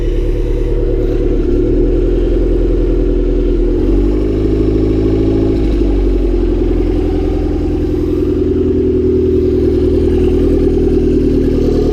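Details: Honda Civic D16Y7 turbo (T3 top mount, intercooler, 550cc injectors), cold start the day after spinning a bearing: rough, uneven clatter through the revs under the exhaust drone; spun rod bearing, no oil light, engine finished.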